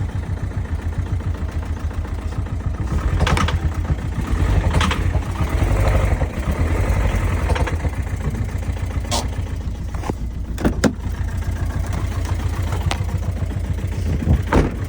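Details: Truck engine idling with light, quick ticking knock over rough running; owner suspects a piston, other sources including lifters possible, cause not confirmed.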